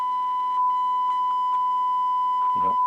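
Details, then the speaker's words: Rotel RX-1203 1970s receiver (volume control fault, power switch stuck on) playing a steady ~1 kHz test tone with added overtones and crackly bursts; output clearly distorting, cause not yet traced. "A tone on here, and you can actually hear the distortion."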